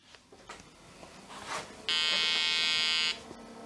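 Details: Olivetti M300-30/P, BA366 motherboard, BIOS 1.04, powered on after removing jumper 29; one steady high beep just over a second with quiet room noise, normal good POST.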